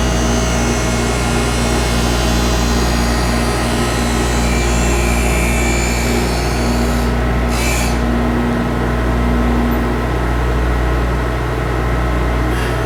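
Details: Skate profiling machine grinding a pair of CCM hockey blades, toe adjusted while pivoting on the heel bearing: steady motor hum with a light, even rasp as the wheel just touches the blade past the front line; normal profiling grind.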